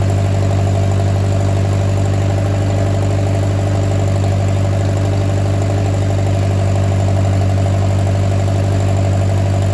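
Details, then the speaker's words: Oliver 550 tractor, first start in a reported 30+ years after ignition and starter rebuild, choked, to be run only seconds with no water pump belt: smooth, even idle with a steady low drone and no stumbles or knocks; runs like a top. "certainly did not expect it to fire the minute i hit the key that's literally the first time this thing has run in according to the previous owner 30 plus years"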